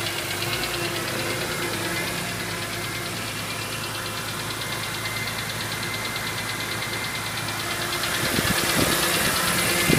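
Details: 2003 BMW E46 M3 S54, about 114k miles, VANOS replaced and valves adjusted: fast, fairly regular ticking sharpening at higher rpm; dealer diagnoses a worn cam follower damaging the cam, with all camshafts, followers and follower shafts recommended.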